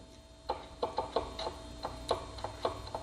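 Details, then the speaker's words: Battery-powered tool with the trigger switch bypassed by jumping it, after the battery tested good: sharp, slightly uneven ticks about three per second over a faint motor hum; switch ruled out, motor head or bad connections suspected. "and I can hear it ticking so it's not the switch"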